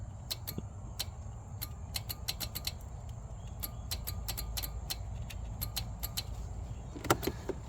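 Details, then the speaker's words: Husqvarna Z246 zero-turn mower that came in blowing fuses: sharp, irregular clicking in short clusters over a low engine hum when the melted fuse holder is moved. It is a bad connection, cause or result of melting unknown; plan is to splice in a replacement holder. "Um, I know there's a bad connection in this little fuse holder. Um, but I don't know if it's a bad connection because it got so hot and melted or if the bad connection is what's causing them to melt."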